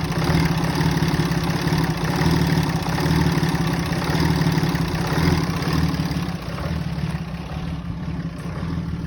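Engine idles with a lumpy, uneven low throb that rises and falls every second or so, a rough idle of unknown cause.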